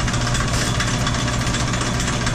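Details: Sidney lathe, about 100 years old, running in reverse feed. An even, steady low drone with busy gear chatter on top that never changes; it runs smoothly.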